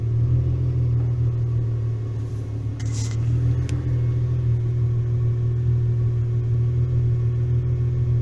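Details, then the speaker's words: VW T3/T25 Vanagon with Subaru H6 3.0 swap, hot restart: starts when hot and settles into a steady, even low idle without hunting or stalling, with a brief clatter partway; idle now normal. "Wow, so I'm pleased with that. It's doing what it should do. So starts when hot. And the idle's doing what it's supposed to do. So, all as it should be."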